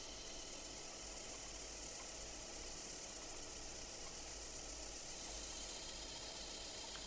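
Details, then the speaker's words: Mercedes SL600 passenger-side throttle body motor spun on the bench: steady gritty high-pitched hiss and faint whine from a worn front bearing, heard in forward but not reverse, running slower with slight vibration; replacement motor is quiet and faster. "let's do the reverse the reverse is okay it's just a forward oh there you go here that's the bearing noise"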